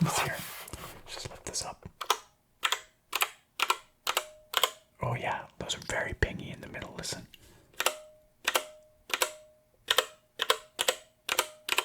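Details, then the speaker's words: Royal Kludge RK68 65% wireless mechanical keyboard, keystrokes on a surface; faint metallic ring after strokes, spring ping from internal metal parts vibrating, worst on the F key, somewhat dampened on the surface. "pinging is from you know vibration of the metallic components of the board on the inside"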